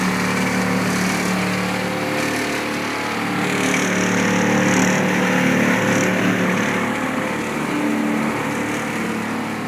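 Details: Fisher Paykel DGIX2 gas dryer, running: loud, rough grinding drone with a low steady hum from the drum; owner unsure whether it is a bad drum bearing or something bigger.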